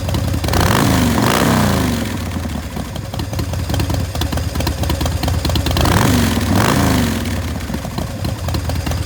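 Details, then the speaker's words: 2006 Big Dog Pitbull Pro-Street custom chopper motorcycle with 3,993 miles, started up. A loud, lumpy V-twin lope swells with each throttle blip and settles back evenly; a healthy engine idling and revving cleanly. "And we'll go ahead and fire it up for you right now."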